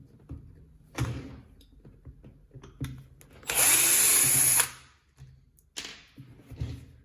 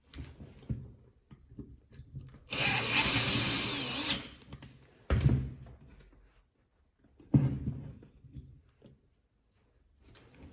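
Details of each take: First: Catpower 6120 jet stone (bench grinder) spinning up in short bursts, with a dry rattle over the whine. The motor bearing is worn. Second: Catpower 6120 angle grinder, in a repair of its rattling sound involving the bearing, spins up in short bursts with a clean, even high whir and no rattle; sounds healthy, normal running.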